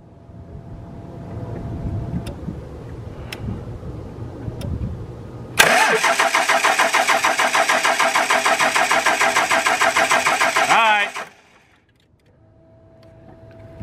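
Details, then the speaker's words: Second-gen Dodge Ram 2500 Cummins diesel, lift pump powers up, injector signal 12 V dropping to about 10 V cranking: starter spins steadily about three compressions a second but never fires; no fuel from injectors, probably dead VP44 injection pump, unconfirmed. "It should still be turning over, but we have no fuel coming out of 1, 4, or 1, 3, or 4, number 4 injector. So I was going to say it's probably a dead VP as of right now."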